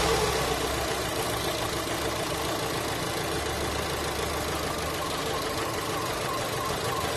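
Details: Holden Cruze petrol engine idling roughly with an uneven, lumpy beat and visible shaking from a dead-miss misfire on one cylinder; diagnosed as a common ignition coil failure.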